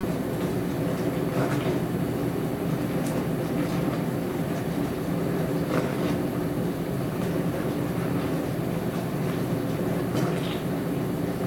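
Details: Dishwasher running far rougher than normal: steady loud low rumble with scattered clatters and thumps throughout the cycle; abnormal rumbling noise.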